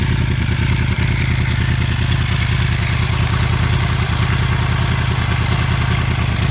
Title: R1 Enging noise at idle, 3k, and 5k RPM.